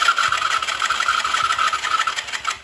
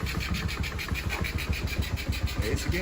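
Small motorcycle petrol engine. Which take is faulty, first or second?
first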